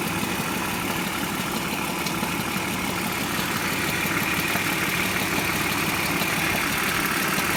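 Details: 1999 BMW E46 323i, M52B25TU petrol engine, idling: a fast, fairly regular metallic rattle over a steady idle, source unclear. Oil, hydraulic lifters, complete VANOS unit with seals and anti-rattle kit, spark plugs, coils, left and upper chain tensioners already replaced.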